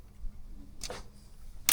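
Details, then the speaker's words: Both helm shift levers for the Yanmar 4JH57/SD60 saildrives on a Leopard 48 catamaran, worked together at the helm: two crisp single clicks about a second apart, matching the engine-bay click and the other side; normal shift lever detent. "I can hear the same click at the same time. Let's try and do them at the same time. That feels normal."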